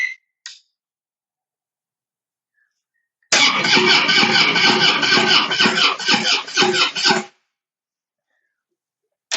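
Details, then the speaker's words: Harley-Davidson Breakout, sat a long time, on a charged battery plus jump pack: starter spins engine steadily about four seconds, roughly two beats a second, never catches; fuel pump not heard priming, fuel smells stale; crank no start. "And so it's turning over much better, but still getting no start, which means I'm going to check out to see that the fuel pump's getting power cuz I can't hear it priming."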